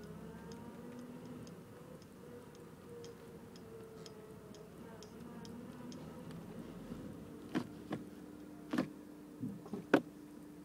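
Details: 2006 Honda Civic EX coupe idling after a Megan Racing exhaust install, stock header and downpipe: faint regular ticking with a few louder clicks and rattles; owner doesn't know the cause.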